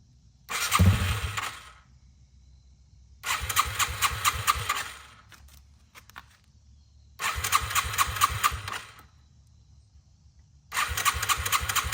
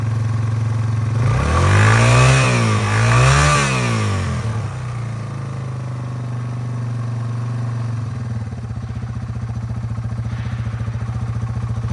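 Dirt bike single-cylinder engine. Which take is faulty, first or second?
first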